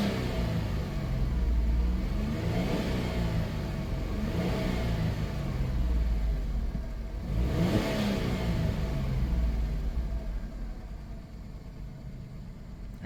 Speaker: 171 [Music] 328 fires right up that motor runs great and that's that really